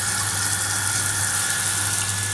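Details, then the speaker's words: Newly installed Showermate 2.6 bar shower booster pump replacing failed 2.0 bar unit, on full power: steady even whirr over rushing water, no knocks or squeal; quiet, normal pump operation. "excellent stuff and that's on full power now nothing wrong with that and it's nice and quiet"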